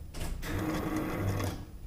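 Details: Truck with a newly replaced fuel pump, key on. A short, even electric buzz runs for about a second and then stops. Fuel pump primes normally.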